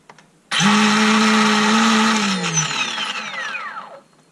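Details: Ryobi 18V brushless chainsaw motor with an intermittent loose-connection fault: a smooth, even electric whine runs about two seconds, then winds down cleanly with no stutter. It works with the housing screws out but fails when screwed together.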